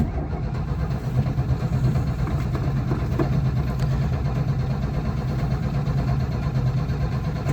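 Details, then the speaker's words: Old carbureted truck, choke pulled, in neutral, building fuel pressure: starter churns about two beats per second but engine never catches; lack of fuel to the carburettor seems to be the problem. "So, clearly, lack of fuel seems to be the problem. You would have thought, though, me spraying that ether down the carb."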